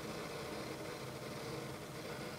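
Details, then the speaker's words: Old AMD Athlon 64 3000+ desktop from around 2004–2008 with a 130GB Hitachi Deskstar IDE hard drive, GeForce MX400, 512MB DDR; drive is very loud, a constant whir and hiss with a faint steady whine and no clicking; cause unclear. "this drive is loud as hell listen to"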